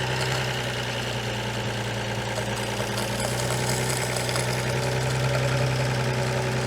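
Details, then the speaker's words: Armstrong Siddeley Special after new plugs and condenser, makeshift fuel pump and tank, no oil pressure showing: engine fires and settles into a steady but noticeably quick, even idle; fast idle, throttle linkage length suspected. "Fuel pump, ignition. Well, that runs. A bit quick, but"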